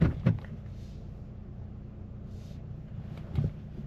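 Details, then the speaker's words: Newly bought used car with hidden damage, driven with the door open: a couple of dull clunks close together, then another a few seconds later over a quiet idle when shifting into drive, from the front control arm and suspension. "you can hear the control arm you can also hear the suspension whenever you go over a bump"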